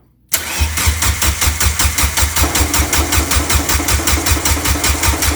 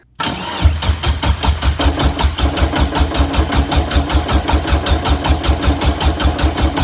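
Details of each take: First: Turbocharged Suzuki Forenza on first start after a new turbo and header, fuel pump fuse pulled to prime: steady cranking at about two and a half turns a second with no firing; air in fuel line, then fuel arrives; possibly old fuel. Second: Turbo Suzuki Forenza with new turbo, turbo header and clutch, first crank with the fuel pump fuse pulled to prime oil. Even starter chugging at about two and a half pulses a second, engine turning but deliberately not firing.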